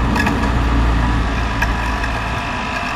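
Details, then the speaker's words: 220 V, 200 W electric water pump after its failed start capacitor was replaced with a same-size new one, with water now flowing. It has a steady low hum and even motor whir with no stalling or buzzing: normal running. "ตอนนี้ปั๊มทำงานปกติแล้วครับสรุปก็คือสาเหตุเกิดจากตาปลาเสียนะครับ"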